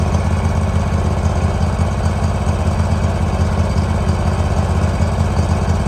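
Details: 2018 Hustler Raptor SD 54-inch mower, Kawasaki FR691V V-twin, after head gasket and valve seal replacement, shroud off, started with choke. Warm engine gives steady even low thrum, no knocks, misses or hunting; spilled oil burning off. Normal idle.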